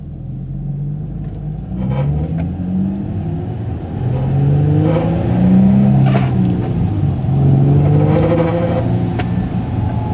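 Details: Infiniti G35 coupe with newly installed Kinetix high-flow cat and stock catback exhaust, revved in short pulls; a tinny rattle rides on the deep exhaust note as revs climb, cause unknown.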